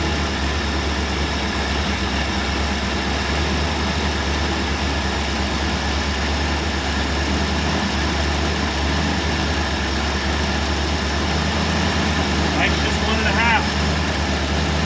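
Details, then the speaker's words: Early-1960s Ford F100 unibody V8, abandoned 25+ years, now running on a bracket-mounted cooling system and separate fuel system while burning off a rat's nest. Deep, steady, lumpy V8 idle with no knocks or misses, clearing up nicely. "this thing sounds good clearing up really nicely"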